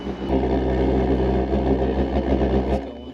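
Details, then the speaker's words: WW2-style drip-fed immersion water heater burner: a steady roaring rumble that sags and fades as the flame starves, because the fuel drip is set too low. "So if you have too little of a drip, it's not going to give enough fuel. So if it sounds like a rocket engine, I think we're"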